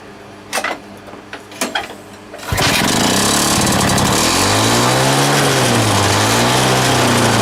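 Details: Lawn mower running on a homemade big-end bearing shell: pull-start tugs, then it catches and surges with wandering pitch; owner hears a squeak and suspects a leak somewhere. Erratic uneven running.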